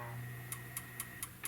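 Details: Crisp even ticks about four a second over a low steady hum at power-on of a 25-inch U5000 arcade monitor being repaired for no contrast: the horizontal output transistor has shorted.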